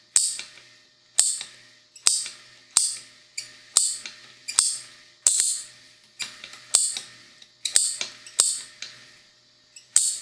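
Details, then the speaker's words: Bench test of a carbureted Honda D15B/D16 distributor with the coil wired as it came from the factory: sharp, uneven spark snaps about once a second, one with a squeal, meaning the coil is wired wrong. "Si logran escuchar suena diferente la chispa, incluso se oye como un chillido. Esto quiere decir que la bobina está mal conectada."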